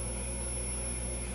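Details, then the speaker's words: GE 810 television during restoration, horizontal output tube just reinstalled and showing a picture; steady high-pitched singing over a low hum from the horizontal output transformer. "I can hear that horizontal output Transformer really singing you can probably hear it"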